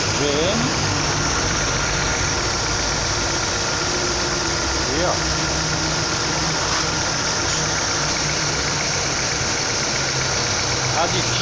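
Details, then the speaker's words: 2009 Chevrolet Prisma 1.4 with 150,000 km, brought in for a very loud engine noise, idling after repair: steady idle under background hiss, no knock, squeal or rattle; engine quiet and normal. "está aí funcionando direitinho sem barulho sem ruído anormal"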